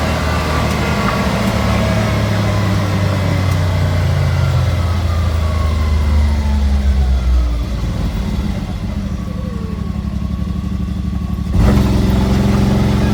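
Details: Can-Am engine revving with an uneven, stumbling beat and skipped firing pulses as it climbs and settles; a misfire, cause not yet found.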